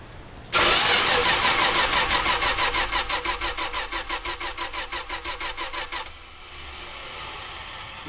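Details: '72 Dodge Tradesman van, spark finally got out of the points, carb primed: starter cranks about three beats a second for five seconds, then stops without catching; crank no start, owner will test a plug for spark.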